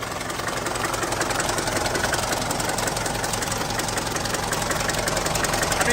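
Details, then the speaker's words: 1981 Mercedes 240D diesel first start after sitting about 15 years with a new battery and fuel: steady idle with fast, uneven clatter throughout; knocking present, cause unclear, possibly oil starvation, with some blow-by noted. "hopefully it runs all right give it to her oh my God yeah they don't sound the greatest"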